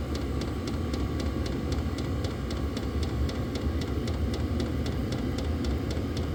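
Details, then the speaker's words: Diesel heater on a lithium battery after restarting from an out-of-fuel stop, glow plug now off, set to high: steady low combustion rumble with soft, even pump ticking about three per second; normal running. "Fan is picking up speed. Gonna put it on high."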